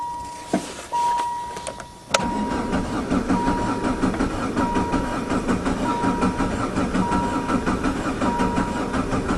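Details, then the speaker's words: VW Jetta diesel-converted van with a mechanical injector pump, high kilometers, sitting since fall, after glow plugs; slow steady cranking at about eighty strokes a minute without firing, as fuel drained back and air got in; fixed by hand-priming the pump. "come on baby it's never taken this long let me go okay take two I have primed the injector pump I did that by unhooking the fuel line and using the squeezy bottle and squeezing hand pressurized diesel into the injector pump it did seem empty"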